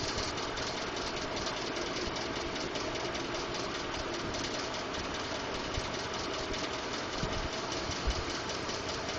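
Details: 2012 Ford F-150 5.0L V8 idles with a fast, steady ticking over the hum; Ford diagnosed it as normal but is working on a solution.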